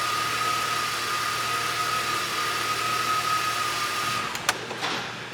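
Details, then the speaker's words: 2006 BMW X5 manual, 270k miles, with a stuck idle air control valve; a bad mass airflow sensor is suspected. After a rough start it holds a steady idle without hunting, with a faint constant whistle. Idling properly now. "That sounds a million times better already."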